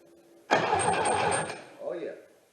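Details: 1977 MGB with Weber two-barrel carb cranks for about a second with steady starter whirr but never fires; previous owner's messy rigged wiring and ignition suspected, new harness on order, spark not yet confirmed.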